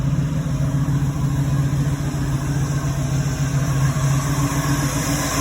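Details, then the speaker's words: 1986 Oldsmobile Cutlass 442 with Quadrajet carburetor, after TPS adjusted to read 0.93 (still slightly high), following hard starting and TPS codes. Steady low rumble, even idle, no stumble, surge or miss; running a while with no check engine light. "it's been running for a while no check engine light yet so hopefully we might be good finally"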